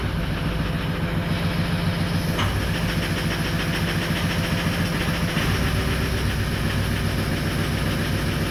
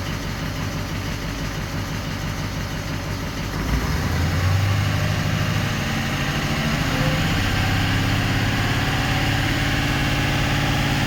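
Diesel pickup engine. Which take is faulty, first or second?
first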